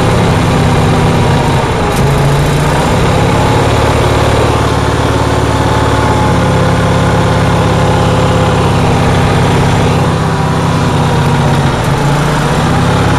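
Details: Onan generator on a cold day, with a loud, steady drone at a fast, constant speed and no dips or surging; it idles very high, cause not yet identified.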